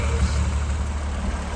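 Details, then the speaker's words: 1993 Toyota MR2 SW20 with swapped 2GR-FE V6, after fuel leak and tachometer fixes, coolant about 174-176°F: smooth even low rumble, no knocks or misses, idling around 700 rpm per scan tool; normal warm idle. "uh RPMs sitting right there running around 700 according to the scan tool"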